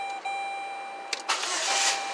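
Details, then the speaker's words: 2007 Saturn Ion 2.4 Ecotec with code P0336 and intermittent crank/no-start, after the repair: a short starter whir, then the engine catches cleanly and runs evenly. No more crank-signal spikes; a normal start. "that was me see we don't have those crazy spikes anymore which is great so this car is fixed"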